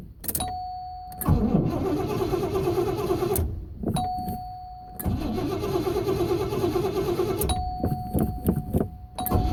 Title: Nocona Bullhides hard start